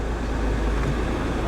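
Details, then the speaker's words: BMW 328 at Copart, 106,000 miles, service-engine-soon and TPMS lights on: smooth, steady low idle hum with no knocks, ticks or stumbling; engine sounds healthy. "it actually runs great 106 000 miles on the odometer engine sounds healthy"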